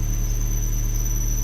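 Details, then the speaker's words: Suzuki APV cold start at about 6 a.m.: a steady high-pitched squeal from the drive belt over the low idle rumble, louder with the aircon on and occurring even with a new belt; owner was told the compressor may be involved. "narinig niyo yung matinis na yon. Yun ang karaniwang ah naririnig ng ating mga KB kapag nagi-start sila ng kanilang mga sasakyan."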